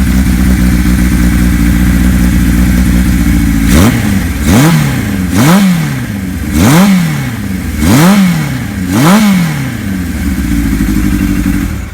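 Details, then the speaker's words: 1975 Kawasaki Z1 900 four in a Rickman chassis, engine fully overhauled in a complete restoration, fire-up: steady idle then about six quick throttle blips climbing cleanly and dropping back smoothly; "so far so good, good sign of motor"; normal running. "so far so good that's a good sign of motor"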